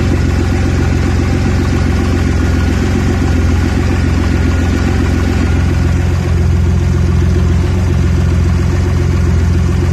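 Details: Audi A4 B7 3.2 rough idle that keeps coming back when cold: deep idle rumble stumbling and wavering unevenly, cause not yet pinned down.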